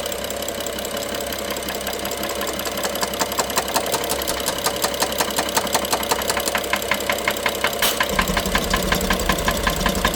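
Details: Top-end knocking on a BMW F07 with N55 engine, heard by stethoscope loudest near cylinder 1 injector and mid-engine electrical connector; crisp metallic knocks about three per second at idle, busier with more revs; timing chain inspected, looks OK.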